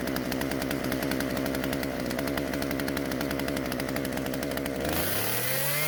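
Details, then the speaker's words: Husqvarna chainsaw after carburetor metering diaphragm replacement: holds a fast buzzing rev, then sags and dies instead of idling; won't idle, low-speed L screw mixture needs adjusting. "aside from that it doesn't want to idle that means i need to adjust the l screw which is closer to the engine"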